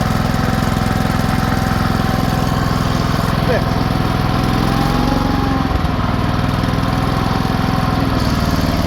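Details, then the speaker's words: Cast iron Kohler K-series single-cylinder engine, warmed up, running with a steady even thump and no knock after the ignition points gap was closed from 0.020 to 0.012 in, retarding timing; the knocking is fixed. "So, let me get this thing started back up and warmed up and I'll let you hear it. It's fixed. It's not knocking anymore."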